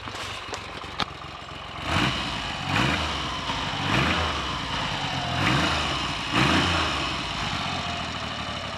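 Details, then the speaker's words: Triumph Trident T150V triple, owned since 1982, first start in over two years: slow loping idle swelling and easing about once a second; healthy old three-cylinder settling after starting. "there are only two things that can sound like that triumph tridents and bsa rocket freeze and their variants"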